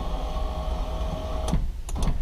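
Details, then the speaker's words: 2004 Porsche Boxster 986 2.7 window regulator after repair, cables put back in their tracks: smooth, steady motor hum as the glass travels, no grinding, then a clean thunk as it seats; normal power window operation. "no more grinding noise so that's what it was"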